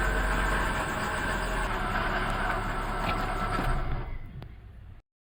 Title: 2012 Mazda 3 2.0 Hatchback (Bad Pulley Bearing) - Startup